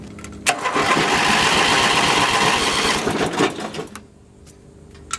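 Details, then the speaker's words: Boat motor cranking after gasoline added, finicky carburetor; starter grinds about four turns a second for three seconds without catching; cranks but no start, owner suspects flooding or wrong mixture. "this engine is super finicky and sometimes carburetor floods before it doesn't get an up gas or just not the exact perfect mixture that it needs"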